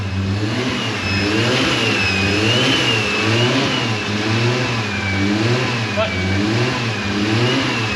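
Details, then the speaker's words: Freshly fitted 1JZ six-cylinder in a JZX90 on first run, clutch not yet bled (earlier scary noise was clutch fork), fuel leak noted: repeated smooth rising and falling revs, no knocks or grinding; sounds healthy. "Whew, she's sounding good, thank God. It's good to hear this thing running again."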